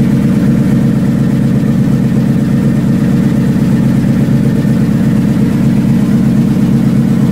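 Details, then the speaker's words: Factory Five Mk4 V8 on first start, oil pressure down to 65 psi: loud idle with fast, fairly regular ticking over the rumble; suspected exhaust leak, probably at the collector, not confirmed. "we have an exhaust leak over there click click click hear it it's probably coming out of the collector"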